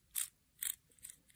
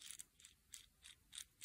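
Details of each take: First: RC helicopter tail rotor gearbox with one extra 0.1 mm shim, turned by hand: dry, slightly uneven notchy clicks with no free play. Mesh is too tight; fix is to remove that shim. Tight gear mesh. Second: VARIO enclosed tail rotor gearbox 1003/80 for a turbine VARIO Airwolf model helicopter, turned by hand after shimming: light, crisp ticks about three times a second; slight noise, correct gear mesh with a little free play.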